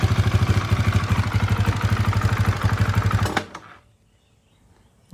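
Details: Husaberg FE450 single-cylinder that came in not running, after timing check, water pump seal and clutch repair, weak battery: steady even thumping idle for a few seconds then clean shutoff; normal running.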